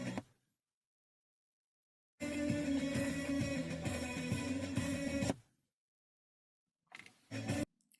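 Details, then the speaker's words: 2015 Jeep Patriot 2.4 head unit before repair: music plays about three seconds, drops to silence, stutters back in bursts; micro-cracks on the circuit board from a collision. "так як на відео Ви побачили яка була поломка монітофон точніше звук сам хто включався та виключався В чому була проблема дивіться при зіткненні в Америці На магнітолі на самій платі появились дуже багато мікротріщин"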